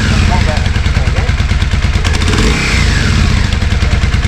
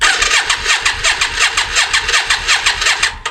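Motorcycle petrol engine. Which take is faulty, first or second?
second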